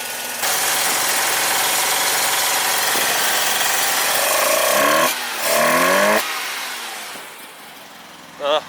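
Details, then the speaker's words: 1985 Mazda RX7 GSL rotary after adjusting mixture and idle screws (previously idling very low and dying): rough lumpy idle that stumbles and hunts, sounding like it runs on one rotor; owner suspects fouled spark plugs. "eat that Pleasant it's just it sounds like it's running on one with that in mind I must shut it off"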